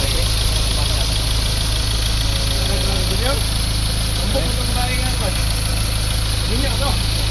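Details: Ford Ranger diesel after new tensioner bearing: steady, even idle with a smooth low rumble and no chirp, squeal or bearing growl from the belt drive; sounds healthy.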